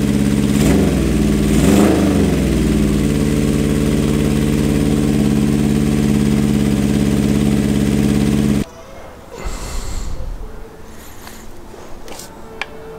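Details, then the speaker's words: Honda CB750 SOHC café racer after first start: four-cylinder lopes with an uneven, lumpy beat, then shuts off; cylinders 1 and 2 not firing (cold exhausts). Owner plans to swap HT leads to rule them out, suspects the carbs on that side. "I'm going to swap this HT lead with the one on the other side because it's not running on those two cylinders which should be nothing to do with the HT but I just want to rule it out first"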